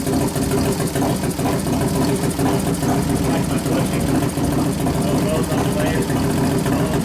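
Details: 1993 Harley FXR Evolution 89ci stroker, new build first start-up, air cleaner off: loping, uneven V-twin idle a bit over two beats per second with occasional throttle blips, warming up; healthy normal idle.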